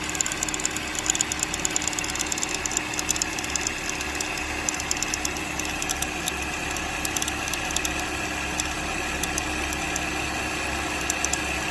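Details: 2007 Chevrolet Cobalt 2.2 Ecotec with fast, uneven metallic ticking and rattling over the idle, loudest up top; timing chain rattle from a broken chain guide, with the tensioner or chain also suspected.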